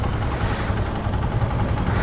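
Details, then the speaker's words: Honda TMX motorcycle after tune-up and a fix for a persistent ticking (lagitik): steady, even low thrum at idle with no ticking or tapping over it; engine sounds healthy and settled. "Wala na kayo maririnig dyan na ano,"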